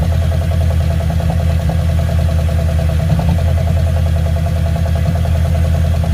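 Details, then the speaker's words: Ford Fairlane V8 at idle through open pipes, after the engine noise was fixed. The old distributor's gear, worn from a different motor, wasn't meshing with this engine's gear. Loud, deep, even, slightly fast idle with no ticking, knocking or gear noise. The engine had been getting hot. "I guess I guess we solved the problem without having to jerk the motor out for like the fourth time pretty happy about that"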